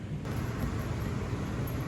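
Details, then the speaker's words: RV rooftop air conditioner fan on high, tested on the roof after electrical work, before compressor is switched on: soft steady low hum with no rattles, scraping or wobble, air blowing; fan running smoothly and normally. "there's definitely air coming out there i can hear it running now"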